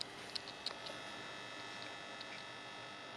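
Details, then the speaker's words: Custom Aussie "Panther" valve amp head after repair work, switched on into a test cab: faint steady mains buzz with a few stray ticks. Hum from the power transformer; laminations to be checked for tightness. "so we're plugged into the test cab I'll just flick it on you can hear a bit of Buzz there from the Transformer"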